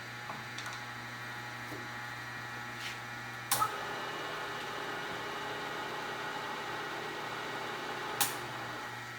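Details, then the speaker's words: Old Bridgeport 1J 9x42 vertical milling machine, spindle switched from high gear through the brake into low gear: steady even hum, soft mechanical whir and a couple of control clicks; normal low-gear spindle running. "That's high gear. Brake. Let's go low gear."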